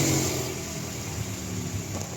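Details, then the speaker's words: Mitsubishi Xpander after rear brake shoe service for a rear noise when pressing the brake pedal at start: engine idles smoothly with a light rev, no scraping or squeal from the rear on braking; normal rear drum brakes. "Preno. Ayan mga bossing, wala ng ingay."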